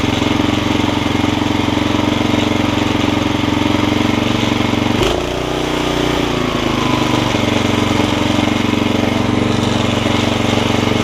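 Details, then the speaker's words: Snapper tiller with 5hp Briggs single-cylinder, after stuck-valve fix, new carb diaphragm and carb jet readjusted: starts right up, runs steady and even with one brief dip in speed before settling; normal running. "starts right up like that can't really beat an old tiller like that"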